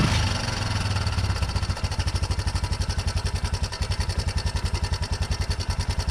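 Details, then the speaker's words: 1987 Yamaha Big Bear 350 4x4 running after ignition troubleshooting: steady idle thump with a sharp regular tick from the top end. Valves possibly smacking, uncertain; a loud clunk was also heard near the starter during starting. "so i can hear the centrifugal clutch on the other side spin down there's ticking going on up here could be valves smacking i don't know"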